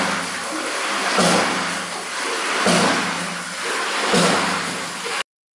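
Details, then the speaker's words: Victorian hydraulic ram at Ingleborough near Clapham, Yorkshire, working normally: a heavy rhythmic water-hammer thump with rushing surge about every 1.5 seconds as the waste valve slams shut and opens the delivery valve, cushioned by an air pressure vessel. "er only, the flow of which forces up a valve, which suddenly stops the water movement. This creates a water hammer, the sound that you can hear."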